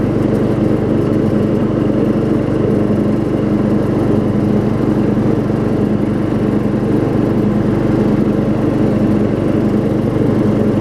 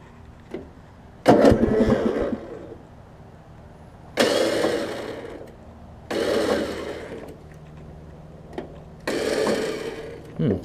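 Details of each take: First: Circa-1994 Craftsman LT4000 riding mower, 12.5 hp Briggs, 38-inch deck refitted after welding, carb and brake adjusted, test run: loud steady drone at even speed with no surging or misses; running smoothly despite flywheel missing teeth. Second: Craftsman riding mower engine, restart after carb and brake adjustment: several short uneven cranking bursts cutting off with a tight bind; starter hanging on missing flywheel teeth, likely stripped by a previous engagement; starter itself fine.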